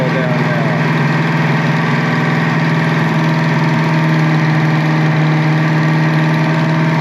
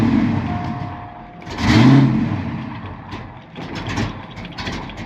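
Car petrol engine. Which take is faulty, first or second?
second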